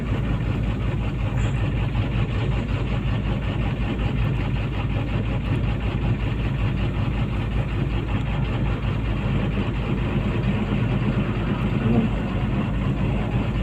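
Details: PC200-8 with a crank/no-start complaint blamed on a defective common-rail pressure sensor (no rail pressure); here a deep, steady diesel rumble at a constant low idle, no knocks, hunting or stumbles.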